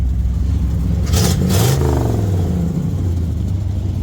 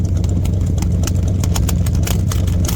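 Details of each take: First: 1972 Chevy C20 V8 after sitting many years, under misfire diagnosis with some non-correct parts, valve cover oil leak: deep, even rumble rising and falling cleanly through the rev with no stumble or popping; smoothest it has run. Normal revving. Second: 1972 Chevy C20 V8 that sat unrunning for many years, misfire diagnosis at idle: deep idle with sharp uneven ticks and puffs at the tailpipe; dollar-bill test shows exhaust being sucked in, pointing to a sticking valve, possibly from gummy old oil.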